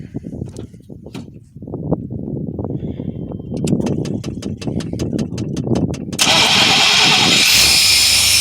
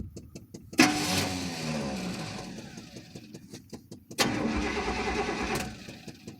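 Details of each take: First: 1994 Chevy K2500 with 350 5.7L V8, after refitting missing fuel pump fuse: starter cranks evenly about four turns a second for several seconds, then catches and settles into steady idle; normal start. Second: 1994 Chevy K2500 pickup, 350 5.7 L: two short starter bursts with no fuel pump hum and no firing; fuel pump fuse missing entirely, since a bad pump would still hum; no start from missing fuel pump fuse.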